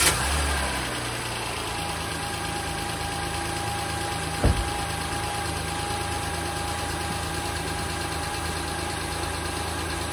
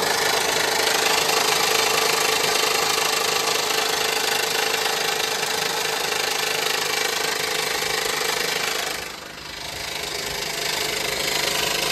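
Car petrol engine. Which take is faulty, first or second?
second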